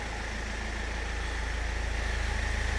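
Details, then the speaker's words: 2007 Land Rover Freelander 1 TD4 diesel after fitting a second-hand high-pressure fuel pump: starts with no engine light, picks up cleanly and climbs smoothly on a light rev, even steady beat, no knocks or misses; normal revving. "there we go people it starts it sounds good just give it a bit of a rev"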